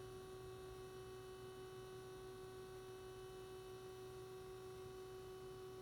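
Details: SDS200 scanner sitting idle at the menu screen: a constant mid-pitched hum with a buzzy edge that never changes.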